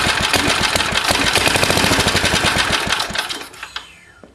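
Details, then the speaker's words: Old Briggs & Stratton lawnmower, valve recently cleaned: fast, uneven popping at about four beats a second that stumbles and dies away; owner suspects the carburetor needs work; rough running. "That's what it does. But I know it's got to be the card that's bit a bit screwed."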